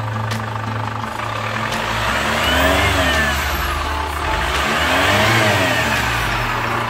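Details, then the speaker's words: 2015 Chevrolet Captiva diesel FL2 after full service, turbo O-ring and gasket leak, turbo hose and injectors 1–3 fixed: two clean revs with smooth rising and falling turbo whistle; normal turbo spool restored. "Mantap. Dah, udah, udah, sudah terdengar lagi suara turbonya."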